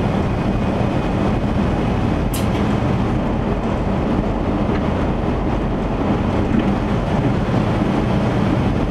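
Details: 1977 Chevy van driving after exhaust repair: low, even engine hum under road noise with no exhaust puffing or ticking; normal running while driving.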